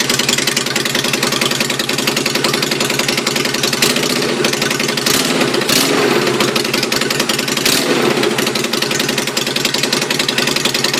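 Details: Yamaha Virago 250 bobber, first start after rebuild, with custom stainless exhaust: loud, busy V-twin idle with a crisp exhaust bark, a steady rapid beat and no knocks or rattles. Normal idle.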